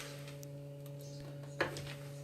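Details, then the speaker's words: Ford Focus before sill welding, draining the tank: fuel pump relay terminals jumped so the in-tank electric pump runs continuously, a constant low hum with faint higher whine, steady pitch; pump working. "so after flicking the ignition key 100 times I decided would just find the fuel pump relay and we'll jump the terminals and get that fuel pump running continuously"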